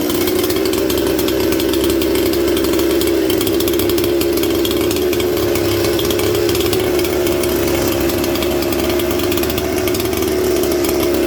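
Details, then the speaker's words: Mystery 200-series "266" chainsaw from the junkpile with a rigged wire throttle linkage: steady, even two-stroke idle with no stumbling or dying. "We did it, friends. I had to rig up a throttle linkage because there wasn't one on here."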